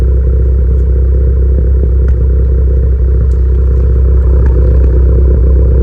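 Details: Tuned turbo car (PRL SRI race MAF, PRL intercooler, 27Won downpipe/front pipe, Greddy Supreme exhaust) with P0300, P0301, P0304 codes: heavy low idle with faint irregular pops about four a second; misfires suspected, not confirmed.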